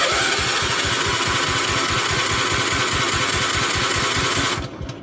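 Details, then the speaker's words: Gravely 432 with rebuilt Kohler K321, after carb cleaner sprayed in: steady starter chugging about three and a half beats a second, never catches; owner suspects no spark, points maybe needing cleaning. "has no spark if it won't go off the carb cleaner probably got no spark probably the points need to be cleaned or something"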